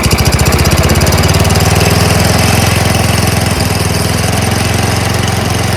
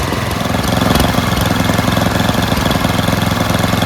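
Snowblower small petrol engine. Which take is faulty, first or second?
first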